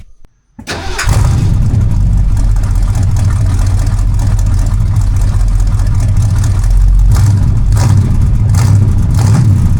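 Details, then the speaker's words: Big block Mercury after DIY dual exhaust with 2.5-inch pipes from the manifolds and thrush glasspacks: brief crank, then a loud, deep, steady rumble with a throaty exhaust note; healthy running, louder than expected. "I thought uh I thought it'd be quieter."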